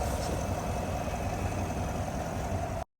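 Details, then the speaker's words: 2022 Chevrolet Suburban V8 after engine noise/misfire repair. Smooth, even idle rumble with no ticking or knocking; checked for oil and coolant leaks, all running normally. "Ya se ha devizado fugas de aceite, de anticongelante y todo anda muy bien."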